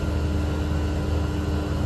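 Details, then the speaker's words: 12,000 BTU mini-split heat pump heating in cold winter weather (about 20–30°F, South Carolina), drawing about 1,890–1,900 W near 8 amps: steady low hum with constant mid tone and fan rush, no rattles or grinding; inverter compressor running hard near its peak but normal. "to hear the noise of this it actually sounds like it's at its highest it doesn't sound like it can go much [Music] higher know it keeps going"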